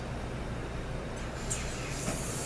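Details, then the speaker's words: Air check on 6T70 Gen2 transmission (2017 Cadillac, 190K) clutch drum on bench: short sharp hiss as the clutch piston strokes, then blowoff valve vents cleanly; circuit holds properly. "see the Piston movement here's a blowoff valve you can hear that"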